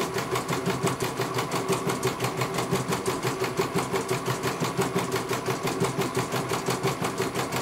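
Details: CNY computer embroidery machine in for service from Banjarnegara, Central Java, that arrived with its motor (dinamo) not turning and the bobbin case missing; quick, even needle clatter at a steady rate, no grinding or skipped beats, one colour finished very well. Normal stitching.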